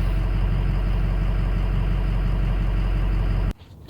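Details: Ford 6.0 Powerstroke diesel after injector and fuel pump replacement, battery disconnected to clear code, fuel pressure good; steady even idle with no misses or knocks until shut off, no check engine light reset; sounds healthy.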